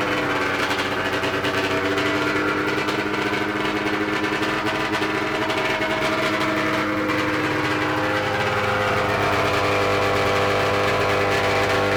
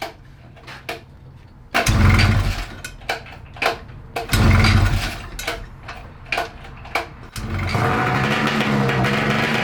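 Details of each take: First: 1994 Ski-Doo Mach 1 670cc 125hp two-stroke go-kart after throttle cable tension relieved: steady busy buzz at fast idle, no misses or surging; sounds healthy and track ready. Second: 1994 Ski-Doo Mach 1 670cc 125hp two-stroke go-kart: cranking and catching, then sustained fast raised idle; suspected throttle cable tension keeping carb slides from coming fully down; nicked fuel line leaking.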